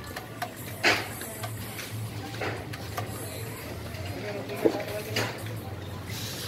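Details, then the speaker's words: Lakoni air compressor after overhaul replacing worn 6003 crankshaft bearing that caused the noise; even low hum, no knocking or rumbling, now quiet; normal running. "[Musik] hasilnya kompressor sudah tidak Berisik lagi hasilnya setelah overhaul perbaikan sangat baik"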